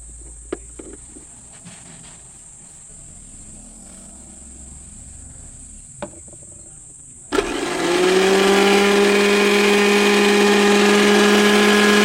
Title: Why is the juicer grinder making noise?Joe Sir Grinder Repairing